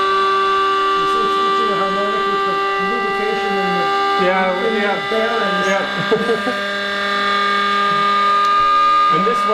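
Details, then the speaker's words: Self-running 2-stage Tesla turbine at high speed: steady high whine with a sharp ringing tone on top; lubricant in the bearings can't be pushed aside fast enough, rotor not balanced to Tesla's pattern, bearing lubrication drag whine. "Yeah, so it's very high frequency. Yeah. Yeah, so you're up against right now you can't push the lubrication out of the way fast enough in the bear"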